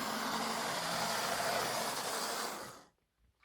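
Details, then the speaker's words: Older analogue model railway locomotive on a floor test track at full speed: loud, rough high whirring with fast, fairly regular pulsing, worst on one corner; runs but noisily, cause unclear. "So she does run, but she's making a bit of a noise. She doesn't like that corner back there."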